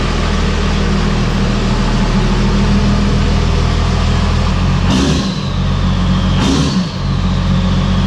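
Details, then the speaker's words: Diesel truck, started after new lines fitted at the shop: deep, steady, even diesel clatter at idle; starts right up now, earlier odd cranking possibly from air in the lines. "But basically, I went out and started up this time, and it took right off like nothing. So cool. Sounds good. Sounds really good. Sounds good."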